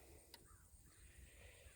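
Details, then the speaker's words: Solar-powered electric fence charger/energizer: two crisp ticks about a second and a half apart over quiet farm background; normal pulsing click showing it is working. "well it's clicking you hear the clicking all right that tells me it's working"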